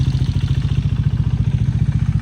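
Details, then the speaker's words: Salvage-rebuilt wrecked KTM Duke 390 at idle after oil top-off: sharp regular thumps about twelve a second with a clattery, knocking rattle that doesn't go away; cause unknown. "Can you hear what I'm hearing? That knocking like sound and it's not going away. Listen to that. Is that normal on these bikes or is it just me?"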